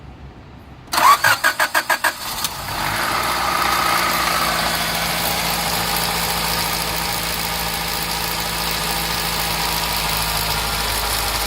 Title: Rattling Noise 2